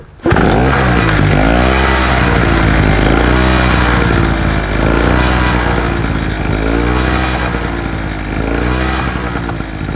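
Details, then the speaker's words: Two-stroke SIP generator that had suddenly stopped working, with water coming out of the exhaust. Running unloaded, it surges up and down roughly every two seconds instead of holding steady; the engine is hunting at no load. "I know it hunts a little bit on the no load but we'll sort"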